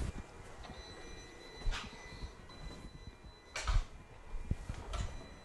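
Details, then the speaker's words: Volkswagen/Audi throttle body adaptation with a Topdon Phoenix Smart: after ignition is switched off, three short whirring clicks about two seconds apart as the control unit saves the adaptation. Normal; adaptation confirmed successful. "now you'll hear the throttle body move a few more times after we switch off the ignition again this is the control unit saving the adaptation to its memory"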